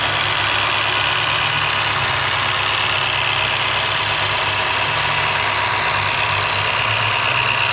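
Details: 2001 Toyota Corolla automatic (7A engine) at idle with a light, fast tick of about three a second; owner suspects valve tap or timing chain noise, engine otherwise runs well; engine ticking noise.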